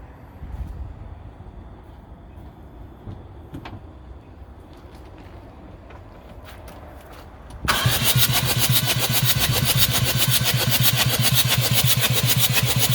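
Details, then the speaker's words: Jeep Liberty CRD diesel after a top-end rebuild, first crank with glow plugs out to build oil pressure before a compression check: quick, even cranking with no snapping or clashing, valvetrain sounds correctly assembled; normal cranking. "nothing broke no snapping sounds no nothing clashing so i think we're good"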